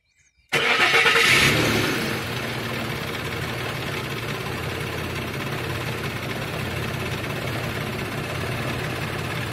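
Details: 2006 Nissan: both oxygen sensors, including the suspect bank 1 sensor, start at 1.5 V while checking whether wiring, sensor or computer is at fault. The engine cranks, catches and settles into a muffled, slightly uneven idle; rough idle.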